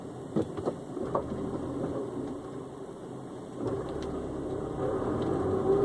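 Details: Honda S2000 engine hum broken by scattered, irregular clunks in the opening seconds; something is knocking loose, with the cause not identified.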